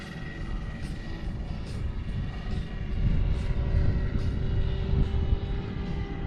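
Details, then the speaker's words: Roban Bell 407 RC helicopter after re-gearing with new main gears, NAZA GPS fitted, hover test flight in some wind: smooth rotor whoosh building in hover, faint steady motor tone, no gear whine; much quieter than before, quiet main gears. "woo that's a little windy but that is definitely quieter much quieter [Music] I don't hear gear noise in that whatsoever oh my God that's so much quieter"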